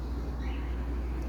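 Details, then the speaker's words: Spirit ceiling fan after fixing a loose thermal protector from a broken clamp that rubbed the internal support rods, and cleaning dust: quiet running, soft low hum, no noise; bearings in perfect condition. "silencioso os rolamentos estão perfeitas condições e agora não faz barulho nenhum mais"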